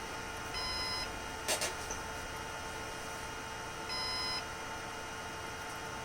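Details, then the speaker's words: Synology DS118 NAS with a replacement 3-pin fan in quiet mode: the fan runs so slowly that the unit thinks it stopped; a single high half-second beep repeats every 3.5 seconds over a quiet hum; fan failure alarm. "Okay, so in quiet mode, the fan goes so slow that the device thinks the fan stopped and it's starting to beep."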